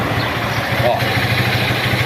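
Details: Single-cylinder motorcycle, engine rebuilt after standing 15 years, idling with the carburetor freshly adjusted. A steady, even putter with no knocks or misses; a healthy idle.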